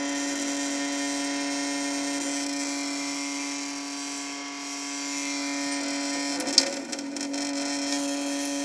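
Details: Sink: steady fixed mid-pitch buzzing hum over the hiss of constant running water, seemingly caused by the water stream; owner suspects a viscoelastic effect rather than resonance, not confirmed.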